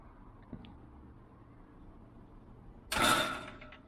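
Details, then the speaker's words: Soft-close Polaris hinges replacing slamming spring hinges on a gate, with a third hinge turned down and a rattling sign padded with rubber; quiet run-in, then one soft latch click without a slam. Much quieter, owner wants slightly quieter. "It's a lot quieter. Would like it just a little bit quieter, but still a lot quieter."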